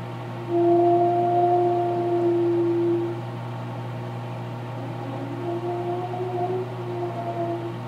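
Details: Microwave popping popcorn: steady low hum under a wavering mid-pitched tone that swells and fades; strange unusual humming noise, cause unknown.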